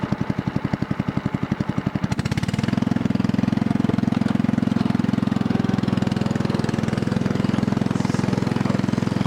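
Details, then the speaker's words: Riding mower with Kohler overhead-valve engine, muffler removed, about 3-inch straight pipe: loud sharp bark with crisp firing pulses, slow then quickening and smoothing as it revs; loud exhaust from missing muffler. "basically it's just straight piped and it's only about a three inch straight pipe anyway so it's gonna be a little bit loud"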